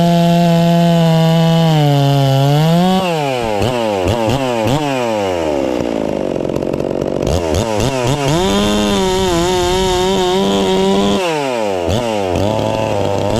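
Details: Ported Farmertec MS660 two-stroke chainsaw, newly tuned with extra muffler port and advanced timing: high scream dips slightly into the cut of a hollow-centered log and snaps straight back on each pull; normal cutting under load.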